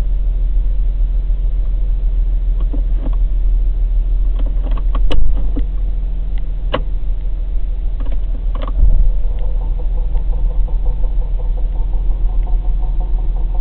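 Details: Chrysler Sebring backing up in reverse, recorded at night: steady low engine rumble with a few sharp, irregular knocks a second or two apart; cause of the knocking unknown.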